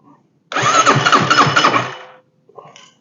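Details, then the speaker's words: Chinese clone of a Suzuki King Quad ATV after starter clutch replacement, engine casing off, cranked with ignition off. Cranking is even and steady at about four pulses a second with no grinding or slipping; the new starter clutch engages properly. "brake sounds like it worked"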